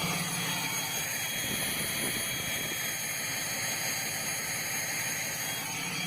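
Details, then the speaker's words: 2012 RAM diesel at 82,000 miles with error code P2262 and a suspected failed VGT: loud steady vacuum-cleaner-like turbo hiss at idle, never heard before, no pulsing; idle boost 0.5, cause unconfirmed. "eighty-two thousand miles never ever heard the turbo at idle and now it sounds like a Hoover vacuum cleaner"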